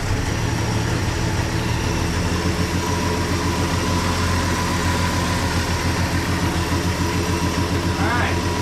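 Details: 1963 Plymouth Valiant idling after sitting 18 years, oil popping from the old exhaust: steady, even beat over a low rumble, no knocking or stumbling; it runs fine.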